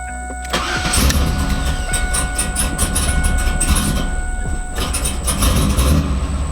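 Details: Freshly built LS engine in a 2002 Chevrolet Camaro SS with a no-start fixed by disabling the VATS security system in HP Tuners: brief crank, then it catches cleanly and settles into a steady, even idle with no misses or stumbling.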